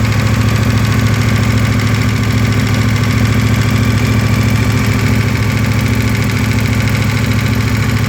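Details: KTM 1290 V-twin cold idle, since 10,000 km, ticking gone once oil hits 70°C: fast even metallic ticking about three per second over the low thrum; source unclear.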